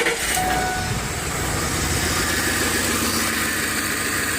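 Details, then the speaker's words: Ford Explorer 4.6 V8 after replacing the cylinder 8 ignition coil, which moisture had shorted and ruined (P0308): even, steady idle with no stumbles or skips, running smoothly on all cylinders. Normal idle after the fix. "oh yes that took care of it right there that was this coil apparently this coil is bad too"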